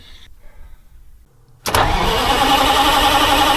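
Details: Detroit Diesel 8V-71 restart with new starter (part 6924N): brief quiet cranking, then it fires instantly at about 1.6 seconds and settles into a steady idle; starter and engine healthy.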